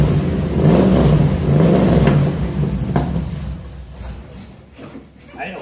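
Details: 1966 Ford F100 shop truck V8, fired up on the ground: deep rumble climbs through a couple of throttle blips then settles; clean, even, no leaks; healthy V8 exhaust note.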